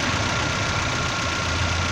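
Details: 2007 1.8 car after repairs. A steady, even idle with a constant hum and no knocks, misses or hunting; the engine sounds healthy.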